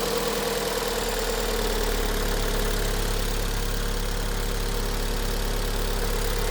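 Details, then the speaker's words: 2006 Vauxhall Vectra-C with the Z18XER engine, after replacing the PCV valve in the rocker cover, which had caused idle hunting and a sucking hiss. It now gives a smooth, even idle with a steady low hum, no hunting, and no hiss from the oil filler. "Okay, let's start it up. See what happens. Perfect. No more hunting."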